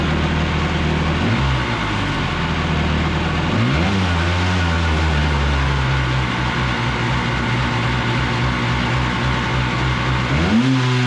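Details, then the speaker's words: Single-seat aluminum mini jet boat powered by a 750 Kawasaki jetski engine: droning engine with revs sagging and surging, hesitating on throttle changes; boggy running, with the carbs suspected and not yet confirmed. "kind of the back story the boat doesn't quite run right it's kind of you know boggy and weird"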